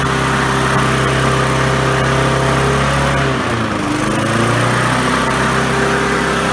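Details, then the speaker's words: Briggs & Stratton 3.5 hp four-stroke push mower after replacing failed carburetor fuel diaphragm and securing loose line: runs steadily, dips briefly, settles to even surge-free hum, governor idling up and down normally. "right so there you go as you saw I went in in touch the advance to make sure you return back to the the neutral position and it could idle up an idle down as needed to"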